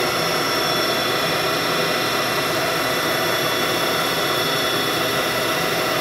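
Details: 1997 Haas VF-4 vertical mill, 12,474 spindle hours, pre-warmed spindle run at speeds stepping up to 7,500 rpm: steady high whir with even hiss, no knocks, grinding or wavering; spindle runs smooth and healthy.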